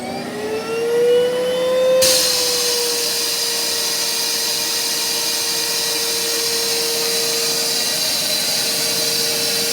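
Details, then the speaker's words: Electrolux central vacuum main unit in basement, all upstairs outlets closed: motor whine climbs as it spools up, then sudden loud rushing hiss as the suction relief valve pops open; normal. "So if you could hear that, the suction release valve popped open, and that's because there's nothing hooked upstairs to anything. So all the outlets for the vacuum are closed."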